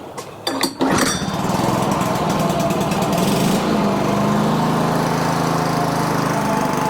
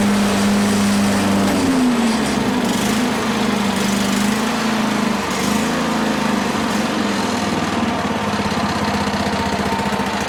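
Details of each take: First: Older Toro 21-inch self-propelled mower, stored dry about 10 years, cold, starting fluid used, about 3/4 throttle: after a few pulls it catches and holds steady slightly uneven buzz on choke, odd rattle noted; engine running on choke. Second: Toro 21-inch mower single-cylinder engine after carburetor cleaning and reassembly: steady buzz, then pitch dips and wanders slightly, hunting; mixture adjustment running lean, a possible rattle also noted; engine hunting from lean mixture.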